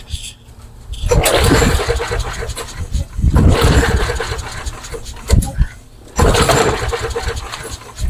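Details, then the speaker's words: Craftsman mower with Briggs & Stratton engine, three primes, trying to start on its own fuel: three hard pulls spin it over with no firing, as fuel isn't delivered. "Okay. Nothing. Little Cosby sauce to see if we can start the mix."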